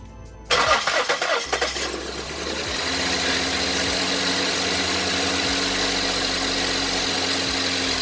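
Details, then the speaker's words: 2008 Ford Edge 3.5L V6, 122k miles, idling after the cylinder 3 injector was replaced for a lean, stuck fuel trim and a flashing check engine light. Quick crank, then a smooth, even idle with no stumble or shake. No bad-injector symptoms remain. "I am not seeing any symptoms of a bad injector happening the car is not shaking it's running well"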